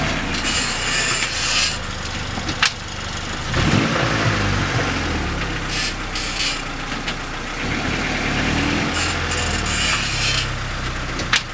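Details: 1994 Honda Accord EX slowing to a stop: rasping, rubbing scrape rising and falling in waves; brake pads had just been replaced.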